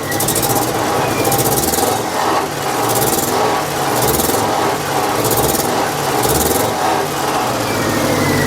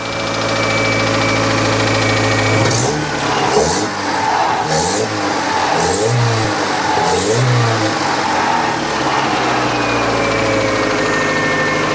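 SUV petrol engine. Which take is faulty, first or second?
first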